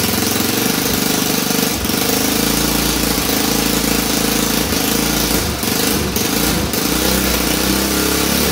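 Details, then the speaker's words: Honda 300EX single cylinder just after an engine rebuild, revving high because the gas tank rests on the throttle cable: a light quick tick on each firing pulse, more like an exhaust pop, believed to be a leaking exhaust gasket. Smoke is oil burning off. "So the ticking that you might be hearing, I believe is this exhaust gasket up here. Kind of sounded like a tick, more like an exhaust kind of pop."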